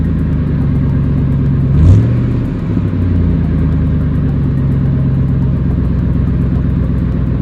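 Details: Exhaust after its leak was welded shut, which removed the earlier ticking: an even idle with one quick rev blip that settles back smoothly, with no ticking or puffing. The exhaust sounds sealed and healthy.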